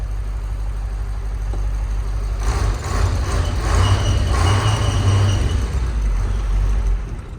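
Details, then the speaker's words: KamAZ diesel truck after freeing the stuck pneumatic engine-stop lever (fuel system checked fine); deep, steady diesel rumble rising slightly and holding even, with no knocks or misses, running normally. "потягнув все нормально КамАЗ запустився як сірник все в нас чтко"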